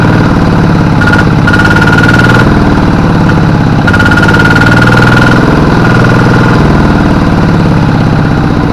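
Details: Kubota RD85 DI-2T single-cylinder diesel on a G1000 tractor, hard to start in the morning, smoky and losing power under work, compression good, fuel delivery previously increased: uneven lumpy clatter about three beats a second; worn injection pump plunger, weak delivery.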